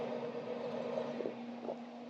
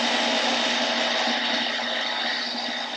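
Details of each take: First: Pellet grill combined from Pit Boss and Monument parts, running after a zip-tie fix, igniter heating up: low steady hum with soft constant tone and light rustle, no rubbing. Normal fan running. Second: Pellet grill combined from Pit Boss and Monument parts, first power-on: harsh raspy buzz with irregular ticking over the fan hum, then dying away; blower fan blades striking wires wrapped in the fan, fixed with zip ties.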